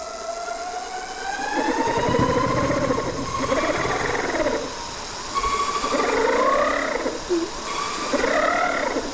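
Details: Bafang G60 front hub motor under throttle with the wheel lifted: a motor whine rising with speed, broken by a warbling rhythmic scrape. The rotor magnets scrape the stator because the rotor wobbles, and new bearings didn't fix it; a bent brake rotor also scrapes.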